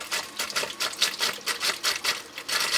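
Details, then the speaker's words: Hot tub spa pump after a heater replacement, with the pump union nut loosened to purge trapped air: quick, uneven spitting hisses as air sputters out before the pump starts moving water; air bleeding out of the pump union. "you hear all that air in there now she's moving some [Music] water"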